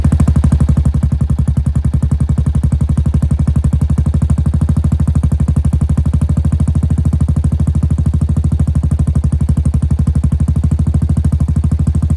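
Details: 2017 Honda Foreman Rubicon 500 IRS 4x4 after top-end rebuild with OEM rings and bottom-end flush following submersion, first start: steady, fast, even pulsing with a deep low thump and no sharp knock; single running smoothly.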